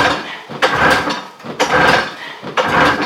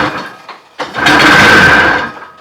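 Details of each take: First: Old Everest snowmobile with rotted fuel lines, muffler reattached, fuel fed by hand into the carb: seven quick pull-start bursts, about one a second, before it catches and runs raggedly, leaking fuel. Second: Everest snowmobile engine on its first start attempt after reassembly. A couple of weak coughs, then a buzzy, high-pitched two-stroke run for about a second before fading. It ran briefly on ether, something was leaking, and it seems not to be getting fuel.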